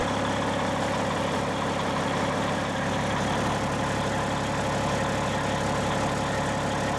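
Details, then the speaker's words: 1995 Western Star truck with Cat 3406E diesel at idle, before 6-inch exhaust replacement: loud, raspy, uneven puffing instead of a smooth low rumble from holes in the crumbling exhaust; flex pipe had sheared; exhaust leak. "here's what the truck like sounds like currently with the holes in the exhaust like it's not bad it's louder than without any hold but it's not a you know it's not a smooth low rumble um you can tell it just sounds a little off"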